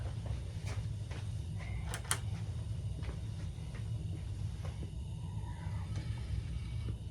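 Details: Coleman Peak 400 stove burner cranked back up after boiling coffee; deep, even roar with no sputter or surging, big blue flame; normal burner roar.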